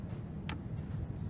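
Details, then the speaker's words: Compound microscope objective lens turret rotated into position: one crisp click over a low room hum as the turret detents into place, lens seated correctly. "i don't know if you could hear that but there's actually a clicking sound when it's in place"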